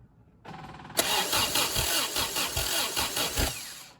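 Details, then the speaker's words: 1974 MGB at first start after at least 12 years unassembled: starter cranks at an even chug and it never catches. Compression and spark are confirmed and the fuel pump is heard with fuel in the filter, yet it won't fire, pointing to a fuel delivery fault. "as you can hear when we turn it over we have compression so therefore we're not getting fuel"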